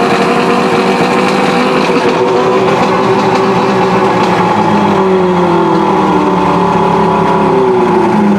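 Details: Outboard motor being warmed up on a hose after a cold-start demo using fast idle and push-in choke/primer: runs clean and steady with a smooth buzz, pitch easing as it warms, no misses or knocks; normal warm-up running.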